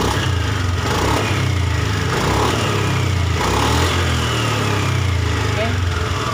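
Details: Honda Beat ESP scooter after part replacement and ECU reset: steady, even single-cylinder putter with no stumbling or misfire, now responsive compared with before; normal running.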